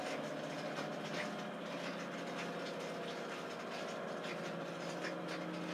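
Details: 11-year-old Samsung WF419AAW/XAA front-load washer, after repair of tub wobble, spin banging and no-drain: quiet, even high-speed spin hum with light steady whir, no banging or thumping; drum runs smooth and healthy after the fix.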